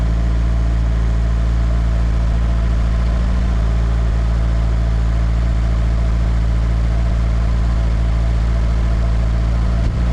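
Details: Nissan S13 SR20DET first start after installing eBay turbo, IS-R turbo lines and ECU-connected oxygen sensor: steady, even low rumble with slightly fast idle while warming up, no misses or knocks, no smoke; normal cold idle.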